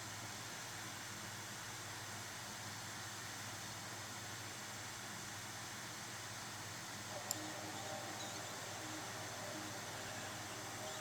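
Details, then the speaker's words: Steam Deck back from RMA: fan blasts at constant full speed from power-on, even in a low-stress game, though not hot; draws 13–14 W where 8–9 W is expected; fan stuck at full speed. "You can still hear the fan like considerably and it's at all times. It's not like it's hot at all or in any danger"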